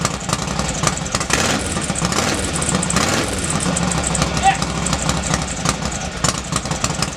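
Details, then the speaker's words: Norley cafe racer with a freshly rebuilt twin engine, first start after the hydraulic clutch repair: fires and keeps running with an uneven, lumpy beat, a bit smoky, possibly from oil put down the bores at assembly. "at last we can hear it Ashley running as I say a bit smoky but err that's possibly because when I put the heads on I did the inject some oil down the bores"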